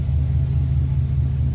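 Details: Restored 1956 Ford Victoria with 47,000 miles on the odometer, pre-purchase inspection; deep steady idle rumble, even beat, no smoke, knocks or misses: normal idle.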